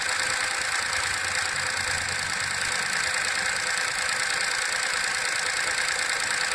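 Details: VW Up! MPI with 5000 km, cold start after repairing an oil leak on the intake camshaft phase variator: cold idle with a busy, metallic ticking chatter over a faint engine hum; source of the noise unclear.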